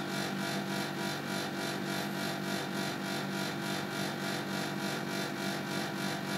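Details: Panasonic CU air-conditioner outdoor unit making a steady rushing fan noise with a regular throb about three times a second. The abnormal noise, cause unknown, occurred twice in November 2010 and stopped only after about 10–15 minutes.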